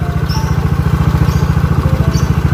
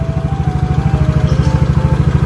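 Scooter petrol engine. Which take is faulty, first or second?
first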